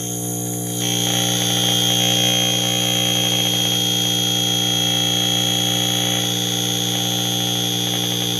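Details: Breadboard #42 tube amp with #75 stage: a steady test tone rides on loud hiss and hum through the speaker after fixing a bad jumper acting as load resistor; amp has voltage gain but is very noisy, jumpers and missing shunt caps suspected.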